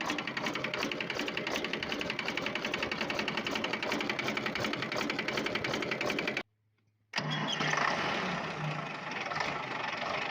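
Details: Volvo TWD121 stationary 6-cylinder turbocharged diesel running with a loud, fast, loosely regular knock about three per second over engine clatter; diagnosed as a faulty intake valve, fixed by replacing the intake valve and gasket set.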